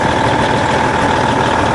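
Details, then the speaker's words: 2003 International 2574 dump truck, Cummins N14 diesel, after replacing the leaking main fuel filter feed line for hard starting; steady, smooth idle rumble with no stumbles or misses, much smoother than before. "it runs way better too so much smoother oh my gosh what an easy repair it idles so much smoother too nice listen to that baby"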